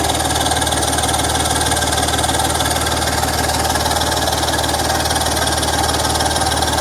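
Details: BMW M54 inline-six at idle: sharp, even ticking that keeps pace with the engine, the puffing tick of a leaking exhaust joint.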